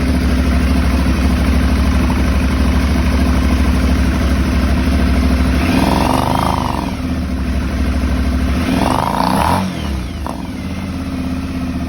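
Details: Aprilia Shiver 750 V-twin at idle: lumpy, uneven beat stumbling and dipping twice before settling lower, a rough idle; a throttle body problem is suspected, not confirmed.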